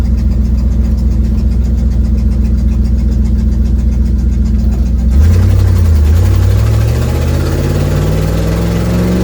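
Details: 1972 Ford Mustang driven home under hard acceleration: a deep rumble climbing in pitch with a raspy, puffing edge on top from an exhaust leak.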